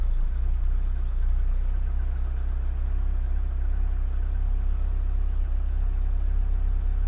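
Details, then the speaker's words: Mk2 VW Golf with Weber carburettor and mechanical fuel pump, just started after months sitting and a long dry crank; cold engine ticking over on choke, fast slightly uneven idle, no knocking or misses; normal. "So anyway, look, it's started now, it's ticking over, so choke is on and all that. I'm going to let it tick over for a while."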